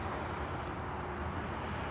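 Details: Dodge Journey that cranked but would not start, with no spark, fixed by a used junkyard fuse box after the engine and crank sensor had been changed: steady, even rumble with no misses, knocks or stumbles; healthy idle.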